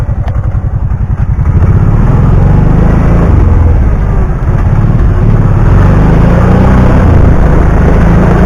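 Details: 2009 Kawasaki Teryx 750 fuel-injected, after the fix (nail inserted in center section) for backfiring and power loss when warm: steady, even low drone with smooth firing beat, no popping or stumbling; runs perfect.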